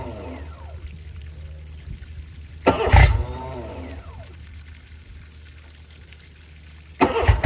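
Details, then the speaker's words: 2005 Johnson 60hp EFI outboard on flush water after lower unit install, long unused: two short, labouring crank attempts die quickly without firing; weak battery dropping from 12.1 V to 10.7 V. "Well, unfortunately, I think it's the battery. Um, we haven't ran this thing in a while since it's been sitting here."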